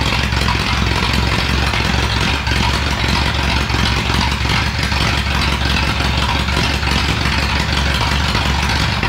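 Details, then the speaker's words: 1937 Ford flathead V8 that sat a year, 6-volt system running only on the battery (maybe 5 volts): lumpy low idle with an uneven beat and dropped pulses, a misfire; weak ignition from low voltage is suspected. "uh it's definitely not running the best it's it's uh missing a bunch of times but we're only running on the battery"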